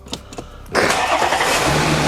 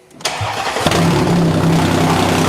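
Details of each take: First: Audi Q5 3.0 TFSI supercharged, after welding a snapped catalytic converter to cure an exhaust leak and fitting a K&N air filter: short crank, then a clean catch into a smooth, quiet, even idle with no exhaust rasp; normal. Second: Supercharged Audi Q5 3.0 TFSI cold start: catches and runs about three seconds with a loud, raspy, puffing roar, louder with the oil cap off, so the PCV valve was first suspected. Cause found: an exhaust leak from a snapped-off catalytic converter, later welded back.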